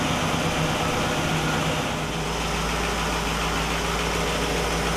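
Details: 1960 Pontiac Catalina 389 V8 at a low, steady, even idle with no misses or knocks, checked on a Heathkit IO-20 ignition oscilloscope; all cylinders are consistent and the ignition is spot on, a healthy engine.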